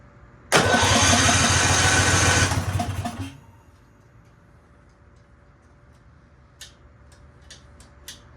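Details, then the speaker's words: $500 Argo 6x6 engine on the bench after fuel system changes and new plugs, tank connected: starter cranks steadily about three seconds but never catches; choke cable or linkage was set up wrong and then corrected; crank, no start. "All right, my choke cable or linkage was not set up correctly, but we got that corrected."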